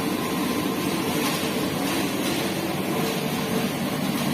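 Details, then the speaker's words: Kouyi NSK-375-2C injection molding machine hydraulic pump switched on after replacing bottom mold press pressure switch: constant, even hum and hiss under load, no knocking, surging or grinding; top and bottom mold press work, PLC shows switch normal. "Oke, kita coba. Kita nyalakan. Komponya kita hidupkan."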